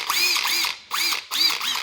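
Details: Cordless impact ratchet with no selector switch, judged strong enough for bolts up to about 14 mm: three short, high-pitched whirring bursts with quick clattering impacts, each spinning up cleanly. Normal, healthy impact ratchet operation.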